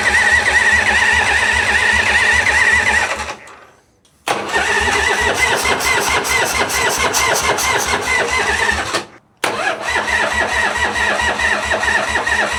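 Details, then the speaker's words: 1985 Harley FXWG with China CV40 carb, in neutral, first start after refitting gas tanks: steady starter churn, two long cranks with no catch; cranks but won't fire, owner suspects not enough fuel in tank, switches to reserve. "Not starting. Maybe I didn't put enough fuel in."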